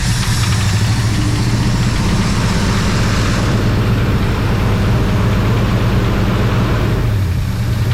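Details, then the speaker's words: 1966 Ford Fairlane 390 FE V8, first start in about 22 years: deep, uneven idle that lopes and wavers in speed. It runs rough and untuned, with water in the carburetor, and dies in about 15 seconds once the carburetor fuel is used up. "She's rocking a little bit. I mean, that just, once again, that just could be getting everything tuned out, because the carburetor itself, I mean, she's got water in it."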